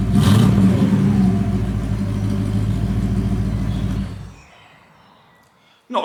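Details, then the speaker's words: Porsche 928 with rebuilt engine after an oil change to better oil, run up to temperature: deep even V8 burble with no ticking; the previous valve tick, heard by stethoscope and thought to be around cylinders 7 to 5, is completely gone. "wow does that engine sound smoother before I had the tick tick tick tick all the time from one of the the valves"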